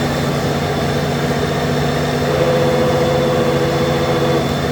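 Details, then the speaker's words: 2008 Honda GL1800 Goldwing idling in neutral with clutch out: an extra humming tone rises over the engine note, and the owner feels the clutch vibrating. "In neutral, clutch out. Clutch vibrating right here."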